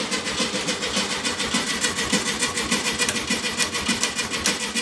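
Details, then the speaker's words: 1969 VW Beetle, stored over 25 years, with fuel added. Starter cranks in an even beat, about three and a half pulses a second, and never catches. Crank, no start: the ignition points had stopped working. "This was getting embarrassing because Eric and I were called in because we're known for being experts for getting these old cars started, and we couldn't even get this one to go today."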